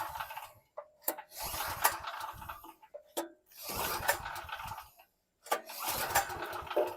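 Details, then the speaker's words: Generator from 2018 with 389 cc engine, sat with stale fuel, new air filter, main breaker off: three pull-start bursts that turn over briefly but never catch; cranks but will not start, cause unconfirmed. "sounds like it wants wants to start usually with this kind of big engine it says it's a 389 CC"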